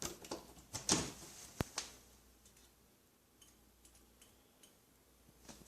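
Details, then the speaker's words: 1940s fluorescent shop light converted back to preheat, using its own old original glow starter: faint irregular ticks repeat for a few seconds in a quiet room before the tube lights; slow glow starter. "Starter is a bit slow, but then again, it is old and crusty."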